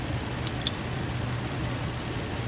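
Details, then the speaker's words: 2003 Infiniti G35 after coolant crossover pipe and spark plug work: smooth steady idle, even low hum, hissing gone after tightening the PCV valve (suspected leaking O-ring); no vacuum leak now. "Voila, the noise is gone."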